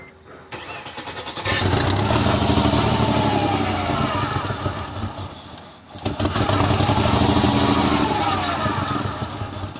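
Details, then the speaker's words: 2003 Mercedes W211 E240 V6 with rough idle and random multiple-cylinder misfires, fuel pressure 45: cranks about a second, catches, runs unevenly, fades out after about six seconds, then needs a second start. It barely wants to start. "It barely wants to start."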